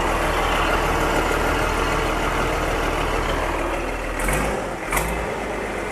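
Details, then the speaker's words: Diesel dump truck with a 10-speed transmission, inspected before purchase: fires right up into an even, steady idle rumble with no misses or knocks, with two short air hisses near the end. Normal diesel idle. "Oh yeah, that thing fires right up. Sounds"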